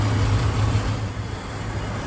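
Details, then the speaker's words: 2005 BMW 330i ZHP (E46) idling after a fan clutch replacement and engine wash. A noisy DISA valve still needs replacing. Low, steady, even hum with no knocks or misses, running much smoother, with no warning lights. "but you can tell by the fan it is running so much smoother now no warning lights"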